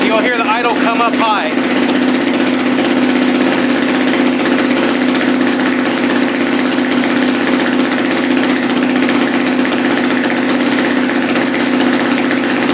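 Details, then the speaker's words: Dirt bike just after a piston change, more compression, no oil pressure yet so everything's very tight: a steady, even idle holding one pitch with no knocks or rattles, idle expected to rise on its own; normal idle. "so the idle is going to start coming up on its own very soon there's no oil pressure so everything's very very tight"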